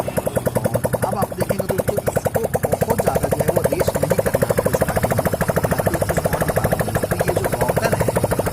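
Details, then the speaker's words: 100cc motorcycle single, first kick start after a full engine overhaul with piston and cylinder changed, run without exhaust pipe or silencer: crisp, even popping at about two beats per second with no knocks or misses. It starts easily and idles healthy. "आप देख सकते हैं कि bike हल्के से kick मारने पर कितनी आसानी से स्टार्ट हो जाती है ,"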